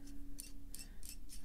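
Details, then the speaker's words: New Kaweco Supra Fireblue fountain pen (stainless steel), barrel unscrewed for the first time: sharp high squeaks about every third of a second from dry metal threads; needs lubrication. "oh god it just it sounds so horrible i have to lubricate this as soon as possible"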